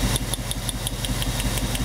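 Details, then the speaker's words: 1998 Chevy van 5.7 V8, cylinder drop test with test light: rough lumpy idle with sharp tick about six per second; unplugging a cylinder gives no RPM change, two dead cylinders causing constant misfire. "No change in RPM. So we have two cylinders."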